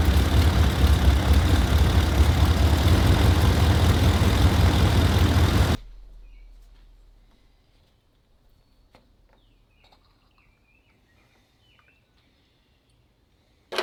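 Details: Dodge Dakota 318 cu in V8, first start after water pump replacement and coolant refill: steady, even low rumble with no knocks or squeals for several seconds, then shut off; healthy idle.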